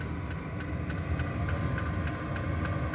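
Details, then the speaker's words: Diesel air heater running in a solar-powered shop. Steady low combustion roar with crisp, even ticks about three times a second from the fuel pump. Normal operation. "Hear the little pump clicking."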